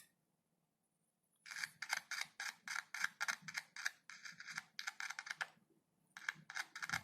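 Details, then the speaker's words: Insect-damaged speaker (cone mesh chewed) tested by tapping its leads on a battery cell (max two cells, about 3 V), no amplifier or multimeter: scratchy crackles in quick bursts, about three a second; voice coil working. "चटकने की आवाज आ रही है। देखो, सारे कीड़ों ने इसकी जाली को कुतर दिया है। यह देखो। कुंडली को देखो। इसका मतलब है कि कॉइल काम कर रही है।"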